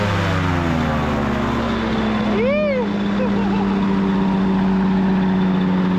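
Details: Two-stroke microlight engine with three-bladed prop running flat out on the ground: steady high buzzing drone holding speed under propeller load, serious power, held the RPM; healthy engine at high RPM.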